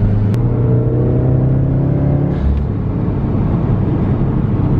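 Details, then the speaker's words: Older Subaru after fixing cylinder three roughness and P0244, hard pull in third gear: engine note rises smoothly with no stumble, popping or bucking, misfire count zero; normal acceleration. "I did a pretty hard pull in third and where occasionally I would get that roughness the first test poll my count is zero so smell a little bit of exhaust going on but so far so good"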